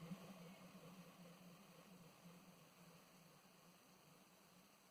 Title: Very unhappy soft starter, SCR misfire